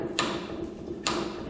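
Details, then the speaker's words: Ford driveshaft, vehicle in Park with parking brake on, shaken by hand at the pinion-flange U-joint: two sharp metallic pops as it moves. A worn or rusted U-joint with excess play; any movement equals vibration. "you can hear it popping around in there there should be no movement back here movement equals vibration"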